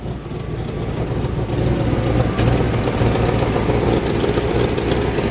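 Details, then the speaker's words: 1951 Ford F1 with a Chevy 350 V8, Quadrajet carburetor and Cherry Bomb mufflers: a loud, lumpy idle with a faint puffing tick from a small exhaust leak. "look at this it's got a little bit of an exhaust leak you can hear it it's got a really nice sounding exhaust system though just got a really cool old truck sound"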